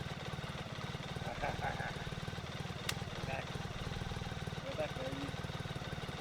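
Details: BMW K75 RT after spark plug change, fuel injector replacement and air filter cleaning, at minimum idle setting while still a bit cold and warming up: quiet, even exhaust pulses with no misses or hunting. Normal idle, running better.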